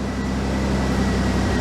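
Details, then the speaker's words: Old MK3 Toyota Supra, first run after about two years sitting, once the fuel pump was plugged in: a steady, even idle with a smooth drone, no misses and no smoke. Normal idle. "it runs and it sounds good doesn't sound like it's missing or nothing"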